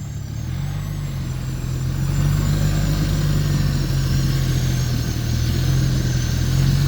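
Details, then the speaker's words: Arctic Cat Norseman 3000 tracked vehicle while riding: a thin, wavering high-pitched squeal above the engine and track drone, seemingly from under the rider at the track drive wheels; owner suspects a bad bearing, not confirmed. "If you can hear that, there's a very high-pitched squeal there. Sounds like a bad bearing, and it sounds like it's coming from directly under me, which is where the track drive wheels are."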